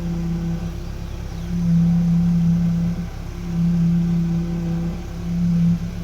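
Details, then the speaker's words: Chevrolet Corsa power steering at idle, fluid full, hoses replaced, no leaks: low groan swells each time the wheel is turned either way, as if without oil, fading between turns; pump groan, valve and strainer cleaning suspected as fix. "Tá roncando, ó, quando vira o volante,"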